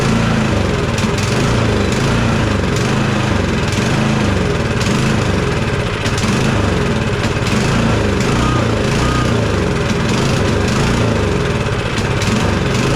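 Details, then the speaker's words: Cub Cadet 2X 24 IP snowblower (model 31AM6HVRB10), MTD Powermore 243cc IntelliPower 875-WU engine on choke at medium throttle: rough, steady chugging that dies unless primed. Fuel starvation from a dirty carburetor; owner also considered an IntelliPower fault. "this unit will stay running as long as we keep priming it to me that tells me obviously we're not getting enough fuel"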